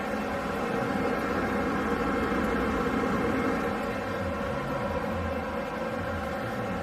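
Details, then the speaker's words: Hyundai Atos front wheel bearing, wheel raised and spun freely: steady deep droning hum of even pitch; balls/rollers inside broken, bearing running eccentric, both front sides affected, heard as loud rumble while driving; worn front wheel bearing. "这个比较完整，哦，那里面的滚珠已经损坏了，所以它在转的时候它会偏心，所以会产生这种轰轰叫的声音。"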